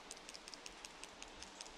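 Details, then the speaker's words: Smartphone shaken by hand: faint crisp clicks scattered unevenly from the mechanical optical image stabilizer's play; normal rattle for this phone. "Simply because they usually have a bit more play for stabilization than they do . You can hear it quite clearly with my phone, for example. If I shake it like that, nothing happens."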